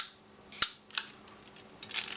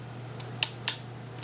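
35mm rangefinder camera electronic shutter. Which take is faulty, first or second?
second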